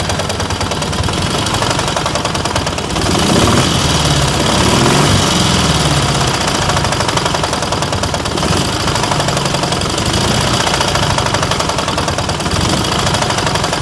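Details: KMZ engine running roughly with rapid, irregular knocking that grows louder around a brief blip; engine knock of unknown cause.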